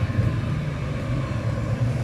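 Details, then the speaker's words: Brand-new Eberspacher Hydronic 30 kW heater (first unit), customer said not working, started with water pump, fan and spark running: steady low rumble of burner and fan, even and unbroken with no misfire pulses; normal running; diagnostics show only error 52, no start. "it takes a little bit i don't know if you can hear it but the heater is running it's working"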